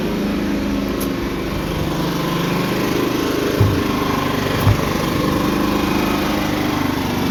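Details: Firman 3200 inverter generator with added fuel pump, check valve and fuel filter for an auxiliary extended-run tank, side cover off; steady even buzzing hum, no surging or hunting, a couple of small clicks; holding speed smoothly, normal running.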